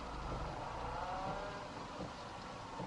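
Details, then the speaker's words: Fiat Panda creeping in reverse gives a soft, irregular knock every half to three-quarters of a second from the rear hub area; pads, hub, and wheel bolts checked, knock remains, cause unresolved. "уже даже при движении задним ходом слышно стучит Ну значит болты здесь не причем"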